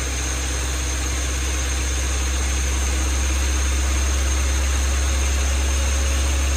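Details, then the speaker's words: Honda D16Y7 engine after swapping to a D16Y8 intake manifold (air injection holes bolted off), coolant refilled: loud, even drone stuck at high idle around 2500 rpm, no hunting; owner suspects throttle body gasket or air injection holes. "The issue I'm having is it is idling super high, like 2500 RPM."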